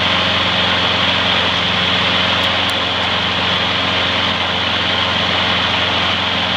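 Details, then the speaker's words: Trash-found mower after freeing a stuck carburetor float needle and topping up low oil: steady even single-cylinder buzz at one speed, no misses or surging; slight smoke may clear after running in; runs great. "it might clear up after its run in a while so not to worry about that seems to run great"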